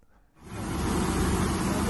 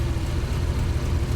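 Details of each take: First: Triumph Stag 3.0 V8; rough grinding roar with pulsing surge about once a second, sounding catastrophic; cause failing viscous fan coupling (Torquatrol unit), found after changing water pump and other engine parts. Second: Triumph Stag 3.0 V8 after replacing the failed viscous fan coupling (Torquatrol unit), coolant refilled, not yet at temperature: steady, even low rumble with no scraping or fan noise; fan spins freely.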